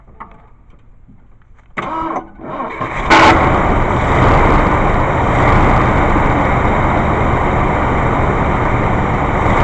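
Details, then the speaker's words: 1980 Ford F350 351 Windsor V8 starting after fitting a new unadjusted 2150 carburetor, vacuum lines and corroded manifold pipes plugged: starter whirs briefly, engine catches and settles into a steady even idle with mild lope; healthy. "so uh that's it let me go in and start this so you can hear it for yourself"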